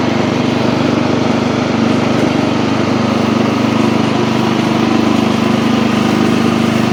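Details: Old Montgomery Ward Power Kraft riding mower, no air filter, blade engaged and cutting: steady, even single-cylinder drone around three and a half pulses a second, no knocks or misses, after earlier stutters in gear; normal healthy running.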